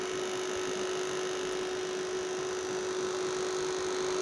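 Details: Homemade UPS inverter transformer that dimmed house lights after power cuts, after repair with a fan running inside: steady hard buzz with rough, chattery edge; suspected loose transformer laminations vibrating under load, cause not confirmed.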